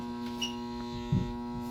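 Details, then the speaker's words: Shop humidifier filling, water a little over three inches, fan turned off so fill solenoid is audible (autofill on until 4.5 inches, heating fan on from 3 inches): steady low electrical hum with a few soft bumps; normal fill solenoid hum. "there's the fan at three inch I have a little over three inches I'm gonna turn the fan off so you can hear the fill solenoid"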